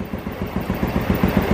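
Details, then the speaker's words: Honda Revo Absolute that wouldn't start with low compression, fixed by replacing the loose kamrat, old puring replaced for smoking; steady even idle about seven beats a second, no knocks or rattles, healthy. "Ini pun setelah saya ganti kamrat itu ya kenyataannya langsung hidup, nggak ada permasalahan apa-apa yang aneh-aneh, nggak ada ya."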